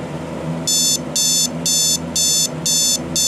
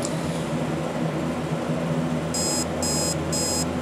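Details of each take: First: Alarm clock with the beeper on the bottom, alarm just set: short bursts of rapid high-pitched beeping, about two bursts a second, steady and even, a normal alarm sounding, silenced with the snooze button. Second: Alarm clock with dirty switches; bursts of high beeps about twice a second over a low room hum, quiet; owner suspects the beeper is muffled by a price sticker covering it, not confirmed.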